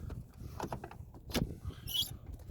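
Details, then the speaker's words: Chevy Tahoe that sat unused in cold weather: door opens creaky and closes with a thump, short high squeak and popping from a dry, unlubricated hinge. "squeak, thump. That popping sound is a lack of lubrication."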